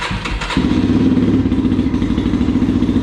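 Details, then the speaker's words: Yamaha TTR230, carbureted, cold start on choke after hard-start fix and full battery charge: brief cranking, then the single catches and settles into an even, quick idle thump with no misses. Normal. "There we go. That is normal, and that is something I can live with."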